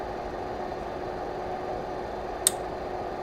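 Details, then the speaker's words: Lavolta BPS-305 30V 5A bench power supply, mic close: steady fan hum with a faint tone, then a sharp relay click as output passes 7.5, 15 or 20 V, switching among the transformer's four taps; normal. "you could hear the relays clicking at seven-and-a-half at 15 and 20 volts that means that the transformer in here has four tabs because you have four ranges"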